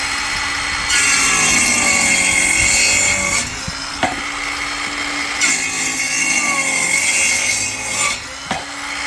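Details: Parkside 20V cordless circular saw (PHKSA 20-Li A2 or C4) on 2Ah battery cutting timber: strong high blade scream, motor holding speed, short pauses between passes; normal clean cutting.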